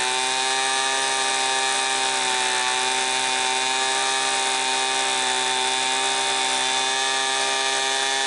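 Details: Homelite Mighty Lite 26B two-stroke blower, a garage-sale non-runner fitted with a new aftermarket carburetor and mixture-adjusted after running lean: steady, high, even scream at wide-open throttle with no surging or dropouts; it runs clean and strong.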